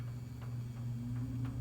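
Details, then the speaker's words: 1972 Lasko Model 4700 two-speed 20-inch box fan with rounded-corner cabinet; steady low electrical hum with buzzy edge and light ticking, motor buzzes on both speeds, worse on high and at startup, less on low; motor buzz on low speed, cause not identified. "of the buzzing sound the motor makes it it makes that buzz on those speeds here it is on high and it also does it on low"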